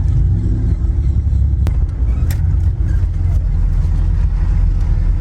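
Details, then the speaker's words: 1986 Pontiac Fiero, Buick 3800 supercharged L67 V6 swap, manual: idle holds steady with clutch pushed in, no dip or stumble, though it previously died on clutch-in; owner suspects fuel restriction, checking fuel filter next. "surprised it used to die right when you clutch in but actually it settled out pretty steady"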